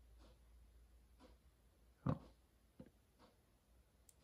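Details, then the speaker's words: Yamaha RD400 two-stroke, stock, ignition timing setup with dial indicator: faint clicks as crank turns, then sharp snap as spark fires at 20 on the gauge just before top dead center; timing correct. "I'll go again ready there you can hear it snap at 20 just before"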